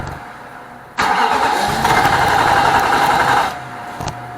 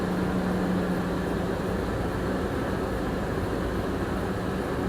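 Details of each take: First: 2006 Nissan Armada 5.6 truck just after an engine swap: starter churns steadily for about two and a half seconds with no catch or firing; cranks but won't start, fuel delivery being checked, cause unconfirmed. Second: 2006 Nissan Armada with a swapped 5.6 engine, first run after the swap is completed, with a little steam and burn-off smoke noted. Steady, even low idle with a smooth unchanging drone and no knocks or misses; it sounds healthy.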